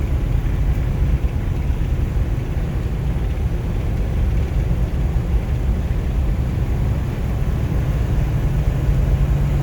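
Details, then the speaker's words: 1953 Buick Roadmaster Model 79R Woody wagon V8 on a 28°F day on bias-ply tires, accelerating to about 50 mph: deep, even drone climbing smoothly with no shift jolts or knocks under road rumble; normal, healthy acceleration. "whisking along here about 50 miles an hour quiet and uncomfortable plenty more in reserve"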